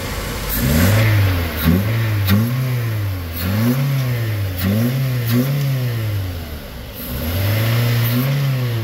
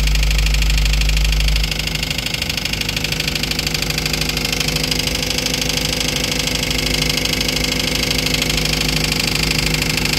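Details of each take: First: Toyota Avanza engine after the noise was fixed: smooth idle climbing cleanly through repeated revs and settling back evenly, with no knock or clatter; the earlier noise is gone; normal idle and revving. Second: Toyota Avanza engine, towed in as noisy, at idle before repair: fast, even ticking clatter about three times a second over the idle; mechanic found the noise was the oil pump, avoiding a full overhaul.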